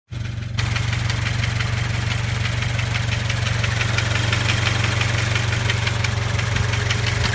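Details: Toyota GT86/Scion FR-S/Subaru BRZ boxer engine at about 70,000 km, idling after about 20 minutes of driving: a light quick rattle about three times a second. Cause was the vacuum pump, replaced by Toyota.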